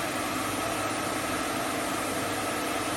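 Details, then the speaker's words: Hope Woodturning MK2 thread-cutting jig on a router at about 3000 rpm, 16 TPI male thread in beech: steady high whine with an even cutting hiss, no chatter; normal clean thread cutting. "je bloque et je vais avancer lentement le filtage se dessine lentement j'exerce une petite pression pour le retour"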